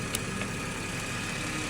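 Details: 2014 Ford FG XR6 petrol engine idling smoothly and steadily with a faint high whine, no knocks or misses, after the alternator and power steering O-rings were replaced; charging output now 14.51 V.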